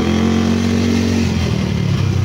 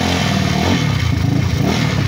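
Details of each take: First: Yamaha Mio scooter (liquid-cooled, 4-valve, owner says 232cc) after a full reset/refresh: smooth steady drone with no tapping or rattle as revs hold and ease off. No smoke, no noise; normal running. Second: Yamaha Mio scooter (liquid-cooled, 4-valve, owner says 232cc) before reset/refresh: engine is quiet underneath but a fast metallic rattle rides on top, something hitting or vibrating; mechanic suspects the seat stabilizers.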